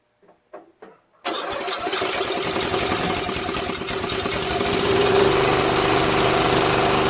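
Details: Murray Select 13.5 40" tractor, Briggs & Stratton flathead: had a bad valve guide, valves ground for clearance, stripped head bolt replaced with screw and washer. First test start gives a quick crank, then an even, steady single-cylinder putter at idle.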